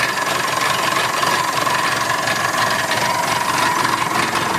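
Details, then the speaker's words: Massey Ferguson 265 tractor diesel idling just after a new radiator was fitted: a steady, constant mid-pitched whine over the engine. The owner thinks the water pump is on its way out and needs replacing. "well you see I just started it up and I realized now I got another problem which I hadn't diagnosed before can you hear how noisy it"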